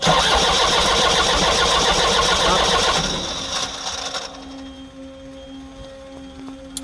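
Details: Kia Bongo diesel with an electronic pump that won't start: starter cranks evenly at about 220 rpm for four seconds and never fires; the fuel shutoff solenoid was stuck closed, and removing it let the engine start.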